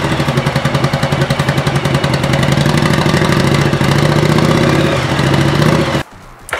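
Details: 1985 Yamaha Virago XV700 cold V-twin cranks laboriously in an uneven beat, almost four pulses a second, struggling to catch, before a voltage stabilizer is added; owner believes the starter draws so much current the ignition lacks power.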